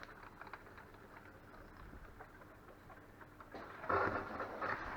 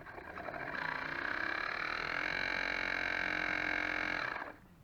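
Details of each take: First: Dishwasher after pump repair, filling with water on test: quiet rushing water with patter and spluttering as air works through the hoses; normal fill noise. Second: Dishwasher drain pump tested on a drain cycle after repair, with the impeller reglued: steady whirring with a loud rattly high whine through the cycle, then it drops away. Noisy drain pump.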